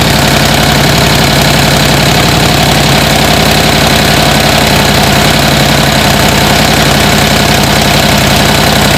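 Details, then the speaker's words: 1949 Harley-Davidson Panhead, started after fuelling up despite suspected gummed carburetor: loose, loping potato-potato beat at slow idle, uneven but steady and strong; runs well, just needs riding. "this is now I got it started this is a really awesome bike uh runs like a top just needs to be ridden"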